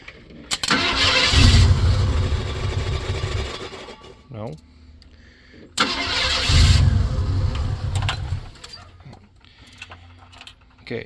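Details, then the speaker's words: Engine with idle air control valve just cleaned and refitted, exhaust suspected plugged: catches and revs a couple of seconds then dies, twice; stalls after start because idle set too low, later idles around 1000 rpm. "she needs more idle back to the shop for more tools"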